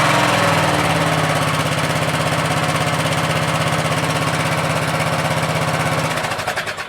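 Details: Craftsman LT1000 lawn tractor after three episodes of repairs and adding gas: small single-cylinder engine holds a steady, even chuffing beat with no surging, which was previously a big problem, then shuts off. Carburetor now works well.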